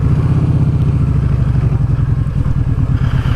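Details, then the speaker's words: Kawasaki Vulcan Vaquero V-twin with baffles removed from the exhaust, revving under acceleration: loose metallic rattle riding on the pulses from the side. Rider suspects something left loose inside the exhaust after whoever removed the baffle cut it out. "Get a terrible rattle on this from the side when you rev it, accelerate."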